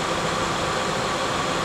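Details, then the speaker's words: Rare Lincoln Town Car Jack Nicklaus edition with hail damage, alternator charging: steady even idle, no misses, ticks or knocks; runs smooth and healthy. "I mean she runs like a top like a sewing machine alternators charging like it's supposed to"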